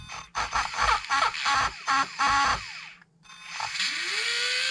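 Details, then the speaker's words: Traxxas Slash no-prep RC car motor with pinion removed, unloaded at part throttle: quick high electric whine blips, then clean spin-up to a steady even tone without rattle; normal, though full throttle reveals a suspected burnt-out motor. "Alright guys, this is me coming back in. I took the pinion off just so y'all could hear the noise in the motor."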